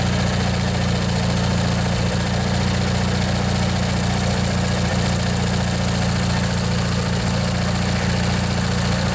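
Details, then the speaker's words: Old Montgomery Ward MTD riding mower, vintage Briggs & Stratton 16 hp flathead opposed twin, after replacing a worn starter motor: even heavy low throb at steady idle, no misses, knocks or surging, smoking a bit. Normal idle. "let this run a bit let you guys listen if you want yeah it runs real nice"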